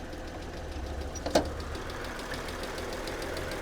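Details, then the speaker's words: Copart Mercedes with misfire codes on cylinders 3 to 5, idling with the hood open: a quiet idle with a faint quick ticking and a slightly shaky, uneven beat. The owner suspects one exhaust side; unconfirmed. "okay doesn't sound bad a little bitty tick and"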